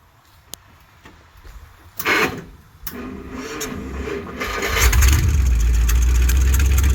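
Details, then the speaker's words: 1955 Dodge cold start after sitting for months, untouched all day, in neutral with fuel in the carburetor, before testing a used 70-year-old eBay transmission. Cranks a few seconds, catches cleanly and settles into a steady, even low idle; healthy start. "I didn't have it running earlier. I never did anything. I'm just as literally I didn't mess with this thing all day and we didn't even try to start it last night and it's just been sitting here freaking months."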